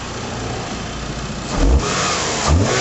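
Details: 2001 Mitsubishi Galant GLX SE 2.0 4G63 petrol, low mileage, after new air filter and throttle body carb-cleaner clean: even idle, two sharp revs dropping straight back to settled idle, no hunting, no smoke; healthy.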